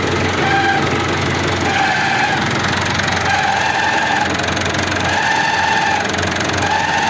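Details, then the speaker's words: Massey Ferguson 265 4WD tractor diesel idling in neutral: thin whirring tone that comes and goes in bursts of a second or so when the clutch pedal is pressed; clutch noise, clutch kit to be replaced. "Esse é o barulho que ele faz aí quando pisa na embreagem, entendeu? Esse aí é o barulho."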